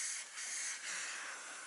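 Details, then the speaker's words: Kenworth T680 truck, underneath during greasing: steady sharp hiss of escaping air with no engine running; air leak at a quick-disconnect fitting. "well looks like I just found my leak it's right here it's this quick disconnect sleeking I hate these things I really hate these quick disconnects"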